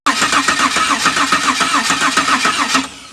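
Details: 1997 Holden Commodore VS Ute, 3.8 L V6 Ecotec: starter cranks steadily at nearly four beats per second, fuel pump running, engine never fires; cranks but won't start.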